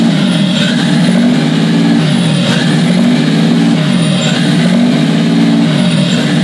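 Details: Toyota 2JZ-GTE non-VVTi engine run on the floor outside the car with basic harness wiring: catches and settles into steady even run, low drone, slight waver, no knocks or misses; healthy.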